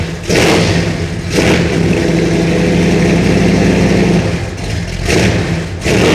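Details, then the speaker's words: 1986 Chevy Suburban C20 2500 with 454 cid big-block V8, cold start after a flexplate repair for a missing tooth and a new high-torque mini starter: quick crank, catches and settles, clean throttle blips rise and fall smoothly. A normal cold start and rev. "I repaired the flex plate installed a new starter and here we go with a welded deserved cold"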